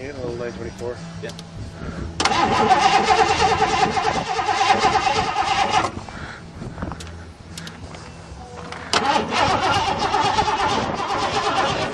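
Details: 1986 Mercury Grand Marquis fuel-injected 5.0 V8, not started in five years: starter churns the engine in long bursts but it never catches; fuel pump wired backwards, no fuel getting through.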